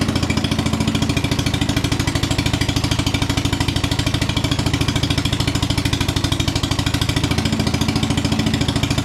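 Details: 1961 International Cub Cadet Original, 7 hp Kohler single-cylinder, first start-up, throttle all the way down, choked to start, now running with no choke: steady, even idle thumping, no misses or knocks; running healthy.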